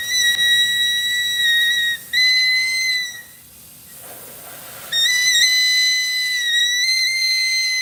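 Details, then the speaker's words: Six-axle trailer during inspection with low tire pressure: steady shrill whistle near 2 kHz cutting out briefly then returning; compressed air leak, possibly a loose line. "see that y hear that thing screaming we definitely got to fix that definitely got to fix"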